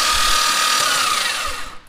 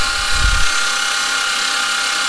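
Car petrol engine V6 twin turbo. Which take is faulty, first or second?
second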